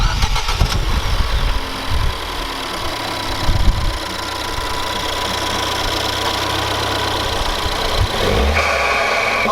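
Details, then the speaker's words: Ford Fiesta ST180/ST200 starting and revving after fitting an induction kit: cranks, catches cleanly, even idle, quick clean rev; no check engine lights, sounds healthy. "this is good I don't have any check engine lights it sounds good"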